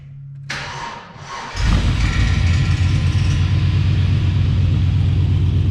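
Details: 1990 Chevrolet Suburban 4x4 with 6.0 LS swap, new true dual exhaust with catalytic converters and glass packs, clamps not fitted: loud lumpy V8 idle with coarse buzzy rattle, likely from missing manifold-to-pipe gaskets.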